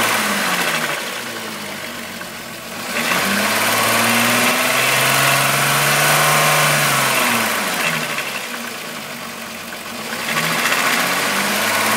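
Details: VW Golf VR6 2.9, 103,000 km, idling and blipped: a hissy rubbing wash that swells with revs. The owner heard a chain-like rub for a while and replaced the upper hydraulic tensioner screw, after which the noise got louder. Suspected timing chain rub, cause unconfirmed.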